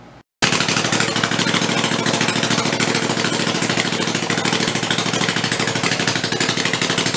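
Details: Rebuilt Kohler Command 20 hp engine, revived after a thrown rod and flood damage, 150 psi compression, refueled and run on the bench: loud, rapid, even firing at steady speed without misses or knocks; normal running.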